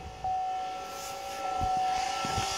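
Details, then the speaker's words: FASS Titanium Platinum lift pump on a diesel pickup after fuel filter replacement, key on, engine off; steady electric hum with constant tone, pitch changes as fuel arrives from the tank under vacuum; normal priming. "now right now it is drawing fuel in from the tank under vacuum you'll hear a difference in the engine once it starts uh hitting the pump there it goes and here it comes okay for all intents purposes right now our pump is primed"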